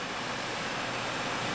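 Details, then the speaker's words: Two Gainward GTX 580 Phantom 3GB cards in SLI under full load, fans set to 100% and spinning up, 32°C room, low-airflow case; steady even rushing air without ticks, rattle or grinding, normal fan operation. "but here we go fan speed at 100% just give it a minute to spin up"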